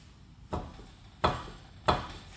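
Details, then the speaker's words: 2004 Honda Civic Si, 2.0 L manual: three sharp, hollow clunks about two-thirds of a second apart from a dried-out, badly worn front lower ball joint with huge play; it clunks over bumps and when turning. "It's a ball joint. It's a lower ball joint on this side."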